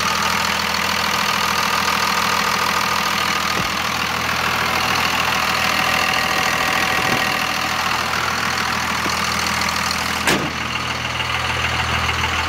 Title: Weird noise?